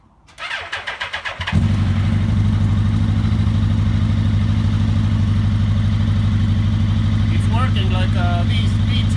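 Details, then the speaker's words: Suzuki GSX-R1000 K1 running rough even after injector cleaning, before the fuel pump filter is cleaned: starts after a few cranks, then an uneven, lumpy, misfiring idle; cause not confirmed. "And I will start the bike, and then you can hear how rough it's going."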